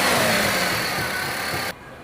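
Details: Maruti Suzuki WagonR K-series with company-fitted CNG, running on petrol (misfire occurs only on CNG): even, steady engine note with no stumbles or skipped beats; smooth, no misfire.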